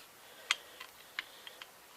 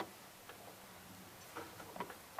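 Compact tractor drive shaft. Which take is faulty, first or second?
first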